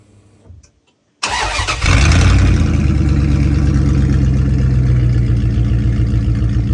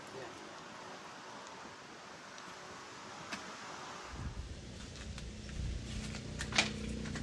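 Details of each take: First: 1996 Dodge Ram 1500 with 5.9 Magnum, muffler just cut off before installing a Jones Full Boar 2-chamber muffler; starter catches, then loud deep raw rumble settles into a fast lumpy idle, open exhaust with no muffler. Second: 1996 Dodge Ram 1500 5.9 Magnum V8 after fitting a Jones Full Boar 2-chamber muffler: after a few quiet seconds it fires and holds a steady, deep, even rumble that sounds more opened up; normal exhaust note.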